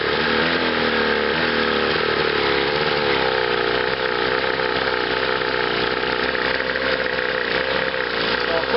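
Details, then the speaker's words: Chrysler electric-start two-cylinder outboard idling unevenly on a test wheel, note wavering as one cylinder cuts in and out; ignition misfire, with the top cylinder reading hotter at about 100°; such misfires often show more at high speed. "it's an electric start motor so here and you'll have to go by the audio you can hear this fire it's only running on one there"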